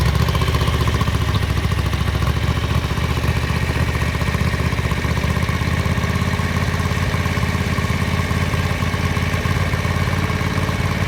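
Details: 1983 Ducati MHR bevel-drive twin, 40mm Dellorto carburettors during balancing at relatively high idle: low, lumpy loping beat, as if one cylinder isn't pulling its share; carbs out of balance.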